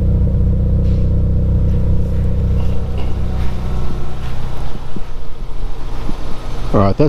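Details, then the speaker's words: Toyota 3SGE on standard cams before Kelford 262° cam upgrade: deep smooth idle around 800 rpm, even steady rumble, no lumpiness or misfire; healthy stock idle. "the standard Odle and it's sitting it around 800 RPM"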